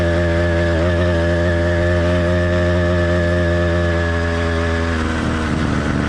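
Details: Kit motorized bicycle with cheap two-stroke engine, single-speed transmission and single-circuit carburetor, warmed up but not heat soaked. A steady, buzzy drone burbles unevenly near the end. This is light four-stroking, normal for this engine.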